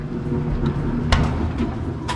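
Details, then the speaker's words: Kenmore 70 series front-load dryer after belt replacement, drum had stopped spinning: steady even low rumble of drum turning with only a couple of light knocks; normal dryer drum operation. "plug that back in let's see oh it sounds like it's working"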